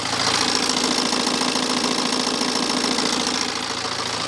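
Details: BMW 318d N47 diesel at idle; bright, busy, fairly regular metallic rattle over the clatter, louder than an E60 520d; owner questions whether the timing chain, said replaced 40–50,000 miles ago by previous owner, needs replacing; unconfirmed.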